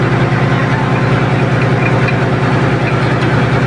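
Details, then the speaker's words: Ship generator engine at 1,150 rpm coupled to an air compressor: loud diesel drone with a hard, regular knock about three a second from the compressor drive coupling, whose rubber bushings are missing. "naririnig niyo ba yun mga boss ito yung salarin yang kopling na yan ang dahilan"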